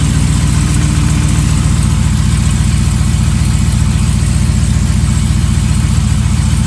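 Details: 2015 Ram 5.7L Hemi V8, almost 18k miles, long-tube headers, idling with sharp regular tick-knock about four a second; recently started, less noticeable when warm, owner suspects piston slap, unconfirmed.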